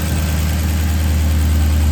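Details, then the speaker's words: 2009 Maserati GranTurismo after serpentine and water pump belt replacement, front engine cover off: deep steady idle hum with faint injector ticking, no belt squeal or chirp; everything lined up and running smoothly. "Burn like a kitten. No noise, no squeak. All you hear are the lovely injectors clicking."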